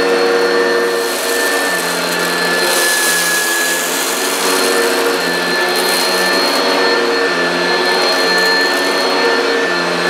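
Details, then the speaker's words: Upright vacuum (American-made, Kirby, Oreck, Hoover or Maytag) running flat out over dense carpet: loud steady motor whine with even airy rush, no surging or rattles; very noisy but picked up all hairs. Normal running. "so despite the fact it's very very noisy it has done a good job"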